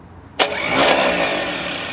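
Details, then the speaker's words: Cadillac 350 with a brand-new remanufactured starter, jumped with a screwdriver: sudden high whirring spin with no cranking, as the starter freewheels without engaging the flywheel. Owner suspects the wrong starter, the wrong flywheel or a faulty unit. "well guys i guess the wiring is good but let me show you i'm gonna do it real quick with the screwdriver uh it just it's just spinning"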